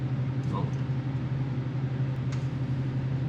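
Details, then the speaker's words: 1976 Ford F-350 V8, after replacing bad spark plugs (one cracked), still runs rough at idle: low hum that lopes unevenly, and a cylinder heat check shows number three is not firing, a dead cylinder misfire. "Well, that uh still kind of runs funny. We're going to check the heat on the cylinders and make sure everything's firing."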